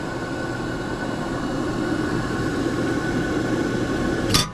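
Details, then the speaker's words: Hybrid Fire Free Heat Machine model 150 outdoor wood boiler, over 10 years old, blower cover removed, blower kicks on via contactor when the light switch is flipped: steady, even rush of air with a faint low hum, no knocking or rattling; blower running normally. "like I said whenever I cut this switch off to cut the light off the blow kicks on well here's your contact get the blow on"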